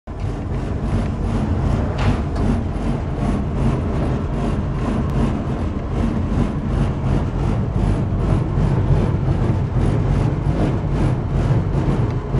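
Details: Furnace running far too loud: a deep roar pulsing a couple of times a second and holding steady throughout, source unclear.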